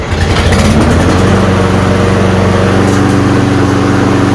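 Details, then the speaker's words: Roadside-find self-propelled walk-behind mower, small single-cylinder engine, after cleaning and a dirty air filter being washed. It catches and settles into a steady, even patter with no misses or knocks; it's a runner, sounds good, doesn't smoke. "But there it is. It's a runner. Sounds good. Doesn't smoke."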